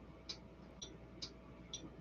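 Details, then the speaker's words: Relay for a Stryker 955 driven by a prototype BS270 MOSFET switching circuit, switched by touching a finger: four crisp light clicks about half a second apart, quiet background; small relay pulling in and dropping out normally. "and drive the relay and the relay the way i've got set up just so that you can you may or may not hear the clicking whenever i do that"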